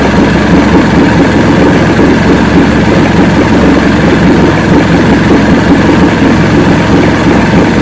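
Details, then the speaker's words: 1970 Evinrude 85 hp outboard, hydroelectric shift, new water pump impeller, running in water container in neutral after forward and reverse checks: even steady low idle, constant buzzing beat, no misses or surging; normal idle, carburetors likely good at idle. "i'm happy with this i think the carburetors are in good shape at least at the idle"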